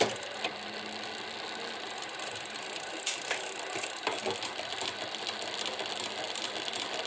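Light, irregular metallic ticking and rattling over a quiet freewheeling drivetrain, a loose chatter coming from the derailleur area.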